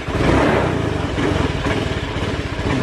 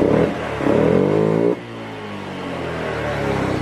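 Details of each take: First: Honda Beat FI scooter that won't idle: revs rise then sag unevenly as throttle opens, nearly stalling. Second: Honda Beat FI scooter after fixing stumbling and adjusting TPS: engine revs high, then drops cleanly on throttle release and settles to a steady idle without stalling; normal return to idle.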